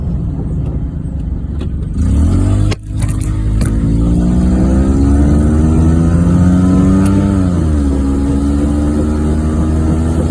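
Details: 1994 Geo Metro on a short drive: a steady low drone while cruising, the growl of a bad wheel bearing.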